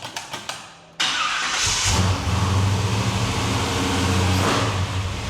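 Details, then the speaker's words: 1972 Chevelle big block first start after installing a new mini torque starter with dipstick combo fix; quick ticking crank about a second, then catches cleanly into steady even running. "We got a starter that sounds like a video game or something."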